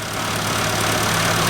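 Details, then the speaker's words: 1995 Geo Tracker four-cylinder after thermostat, valve cover gasket, plugs, wires and air filter replacement, while adding and burping coolant: smooth, even hum with no ticking, knocking or squeal; sounds healthy, though a motor mount is worn. "Boy, the motor sounds good though."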